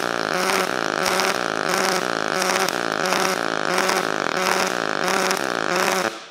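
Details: Sherman DigiMig 215 DualPulse MIG welder on 2 mm steel in twin-pulse mode at 72 amps, setting 6.2: steady crackling arc beating in an even slow pulse, about one and a half per second, clean and consistent; normal twin-pulse welding.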